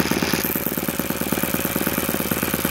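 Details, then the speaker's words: YS FZ63S supercharged glow engine after rebuild (replaced throttle barrel seal), APC 12x8 prop, Omega 15% fuel, low about 2,220 rpm: quick, even firing patter with no misses or surging; clean steady idle. "You can see these YS engines will just tick over at whatever RPM they're at."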